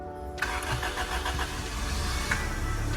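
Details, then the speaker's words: 2000 Honda Civic EK hatch with B18C1 GSR swap, not run for over a decade, main relay fed 12 V directly to bypass voltage drop: fires straight away, steady even idle; engine starts and runs. "okay it's running it's running she's Alive"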